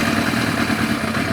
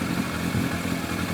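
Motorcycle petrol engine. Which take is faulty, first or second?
first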